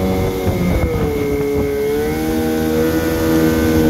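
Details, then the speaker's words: 1974 Johnson 15hp outboard with low-tension magneto, on a 16ft boat in pond test after new fuel line, spark plugs, gear oil, impeller and carb tuning, previously wouldn't idle: clean steady buzzing drone easing down, even firing, no misses. Normal running. "seems to be doing well i'll fire it up and take it for a run around and just to show you how it's doing"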